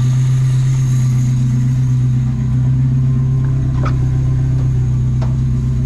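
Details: Toyota 22R four-cylinder mini truck, just reinstalled with a newly built exhaust that is burning off paint and smoking on first run. Deep, even idle hum with a steady pulse around four per second and no ticks or knocks; a smooth, healthy engine.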